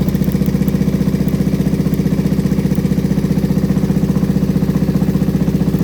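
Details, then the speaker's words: Kawasaki Vulcan 500 just revived after carb kit, idling with choke: steady sharp ticking about three a second over loud even idle, top-end tick traced to a loose spark plug, then tightened. "well it runs that plug looks like it's a little loose so i'm going to tighten that up real quick"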